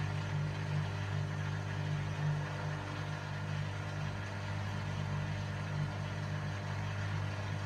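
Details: Hotpoint Aquarius Extra WMA40 washing machine on a test wash with the top off: steady low hum with a soft uneven rumble pulsing two to three times a second. The drum looks bent and runs rough; owner suspects bearings, unconfirmed.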